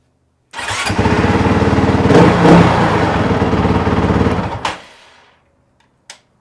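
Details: Honda CRF450RL restarted hot after a 12-mile ride, following fuel pump replacement: the pump primes, the engine catches at once and idles with a steady, even thump for four seconds. The restart is healthy and the fix is confirmed.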